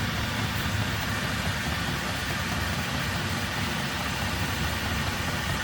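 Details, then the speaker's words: Vevor diesel heater in van after fitting tank standpipe, fuel lines, pump and filter and priming: steady even combustion roar and fan rush at full blast, no pops or surging; running normally. "okay it's running it's running like full blast can you hear the motor barely now"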